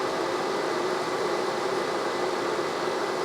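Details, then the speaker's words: 1973 TVR 2500M with a new wiring harness: electric radiator fans switch on with the engine dead cold, steady even whoosh with a faint hum and no engine running; the cause of the fans running is not yet known. "The electric fan has turned on. That's not necessarily a bad thing. That could be just an adjustment."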